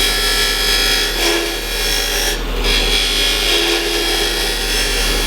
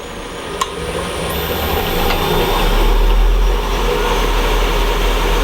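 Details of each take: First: Wood lathe cut on dense end grain: loud rasping with a harsh buzzing chatter as the tool takes almost a quarter inch of blade at once, easing off when feed pressure is reduced; tool chatter from overfeeding. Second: Wood lathe at 3000 rpm, tool held lightly on the tool rest taking light cuts without forcing. Steady motor hum under an even cutting hiss, no chatter or catching; clean cut.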